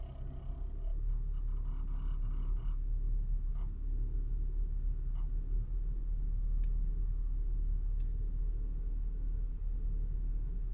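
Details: Skoda Superb MK II 1.8 TSI DSG on a ramp/incline: faint, uneven ticks from under the dashboard over a steady low cabin rumble, only occurring on inclines.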